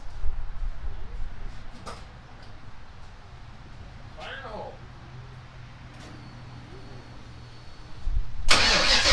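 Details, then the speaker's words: Ford Ranger rock crawler, first start and drive, new Magnaflow exhaust. Catches and settles to a low, even idle, then revs up hard and cleanly; fires right up and runs good. Normal start and rev. "very happy it's uh fires right up runs good sounds good"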